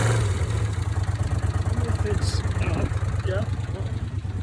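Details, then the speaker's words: Honda CX500 twin, cafe racer project bike, at idle and light revs: deep twin thump with an irregular skipping beat like a misfire; ignition confirmed firing on both sides, ignition type unsure, no oil leaks; cause of uneven running unconfirmed. "So yeah. Now you can hear that. It's like a misfire actually."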